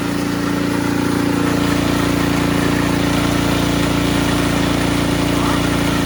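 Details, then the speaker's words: Ariens Sno-Tek 24-inch snowblower after fixing impeller clunking/rattle (washer): steady even engine drone, smooth constant pitch, impeller engaging quietly with no knocks or clunks; running normally. "it is engaging disengaging it is quiet as butter you guys were down in there with me it is you can't even hear it"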